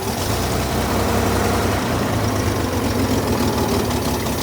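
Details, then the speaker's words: Chevy Corvair with replacement carburetors, cold, idling outdoors on its own: uneven lumpy thump with faint tapping. Owner suspects a stuck valve (smooths out after minutes of driving); timing unchecked, mixture and idle speed still need adjusting. Rough idle. "I think I've got a stuck valve it comes out of it as it warms up when I actually drive the car it Smooths out like minutes into driving it"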